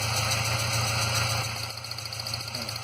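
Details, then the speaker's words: 2006 Ford Ranger 2.3L four-cylinder, 188,520 km, at idle with steady lumpy pulse about 3.5 per second; cylinder 3 misfiring (P0300/P0303), disconnecting its coil changes nothing, with power loss, shaking, hesitation and exhaust smoke. "como ya pudimos notar el cilindro número 3 es el que presenta una mala combustión ya que al desconectar la bobina o anular el funcionamiento del cilindro el motor sigue fallando la misma manera"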